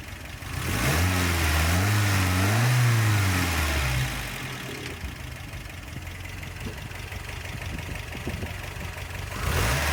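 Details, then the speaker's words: 1988 Toyota Pickup 22R, Aisin carburetor, after timing chain, water pump and oil pump replacement, sat overnight, no leaks: two clean rev-ups then settles to steady even idle, no knocks or rattles; normal revving. "let's rev it a little bit"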